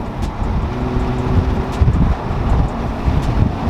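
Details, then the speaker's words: Toyota GR Supra A90 (new, on 30-day tag) at about 47–60 mph with windows down and hard throttle, after fitting AMS carbon fiber wind buffeting kit: steady road and engine rumble, no pulsing wind throb; buffeting gone. "and no wind noise just normal windows it is freaking awesome so great video is a success"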